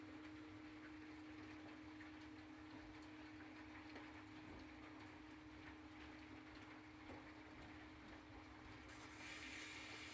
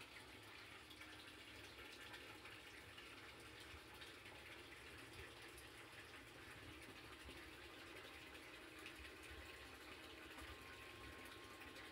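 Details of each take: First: Sump pump after foam added to keep inflow air bubbles from collecting under the pump and the pump briefly switched off to clear an air lock: steady motor hum under rushing water, no surging; pumping normally again. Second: Sump pump air-locking: a heavy inflow stream churns the pit and pushes air bubbles under the pump, giving continuous watery churning and gushing. Pitch drops when the air clears, then it clogs again and the pump never shuts off. Foam baffle is the planned fix.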